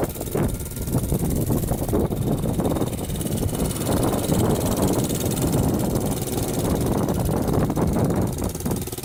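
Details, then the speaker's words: Barn-find 1981 Honda XR100 dirt bike, carburetor just refitted, throttle cable broken: small single rattles along at a low, wavering idle instead of an even beat; irregular idle, owner suspects an air leak, not confirmed. "I did notice it probably has an air leak somewhere, just because I started it up today and it kind of sounds like it's idling weird."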